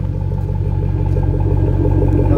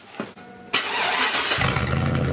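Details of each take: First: Truck after installing a Silverado transfer case and welding in a custom exhaust: deep, even tailpipe rumble with a steady low throb, no rattles or leaks; normal exhaust note. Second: Pickup truck, cold start with the exhaust cut off upstream by the previous owner: catches after short crank, loud deep blatty idle with throttle blips; loud exhaust from cut-off pipe, custom exhaust later welded in.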